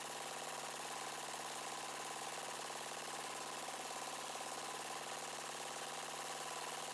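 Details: Yard-sale Murray 42" Wide Body mower engine, choke now closing after a broken plastic nub hitting the air cleaner box was found. Idle speed set near stall and mixture screw turned in until rough. Fast, steady pulsing idle around 220 beats a minute; idle during carburetor adjustment.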